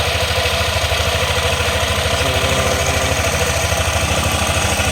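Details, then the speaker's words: Yamaha NMAX after repairing a broken tensioner spring that let the timing chain slap: scooter idles with an even low thump, and the timing chain is now quiet. "Nawala na yung kanyang ingay sa makina no."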